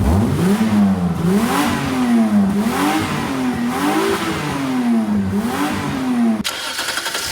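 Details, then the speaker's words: Engine revved after the blown exhaust was properly repaired with welded metal: smooth rises and falls with no puffing, blowing or raspy leak; exhaust sealed, remaining noise judged to be the engine itself. "And with the repaired exhaust, I reckon most of the noise is the engine itself. You know, you just can't silence an engine that big."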